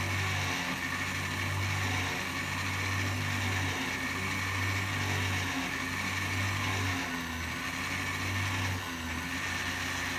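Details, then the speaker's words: Small sewing machine motor, pedal operated, drilling a model locomotive boiler held in a jig; steady low hum that dips slightly as the drill bites, then recovers, briefly bogging under load, normal. "you can hear the little sewing machine motor bogg down a little bit as I'm drilling"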